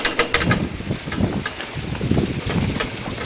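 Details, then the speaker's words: Homemade four-bladed ceiling-fan wind turbine, yaw bearing of two greased flat washers on PVC pipe: irregular metallic bang-clang over wind rush as pipe bottom rattles without soft padding; fix is rubber grommet or cloth around the bottom. "Another good thing is put you something soft on the bottom of this pipe so it doesn't rattle like mine. That bang clang clang you hear on it again."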